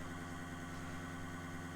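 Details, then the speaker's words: Nissan S13 240SX (KA24DET): a new Walbro 255 in-tank fuel pump runs on test after install with a loud but even drone and no surging, louder than the old pump. "Okay, I hear the pump going. Thing's pretty loud."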